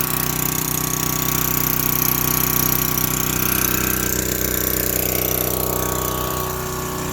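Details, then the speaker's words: Yard-sale pressure washer small single-cylinder engine, revived without new parts after cleaning the fuel system; sticky choke linkage and a leaking hose. Steady even chug at constant speed, no misses or knocks: normal running. "Oh my god. It runs so good, though. I don't know how."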